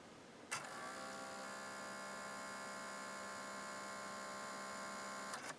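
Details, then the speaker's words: 18-year-old NAD L53 DVD receiver refusing to play discs: drive motor makes a steady whirring buzz for about five seconds while trying to focus the disc, then cuts off and gives up; suspected damaged motor, laser dim. "you can hear the he the motor is making quite a bit of racket just trying to"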